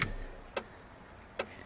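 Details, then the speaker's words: Jeep turn signal switched to the faulty side, where the light doesn't work and four-ways fail: relay clicks at uneven gaps, half a second then nearly a second, instead of a steady beat; owner suspects a faulty flasher, unconfirmed. "On this side, as soon as I click on it, it's going funky. It's going all funky."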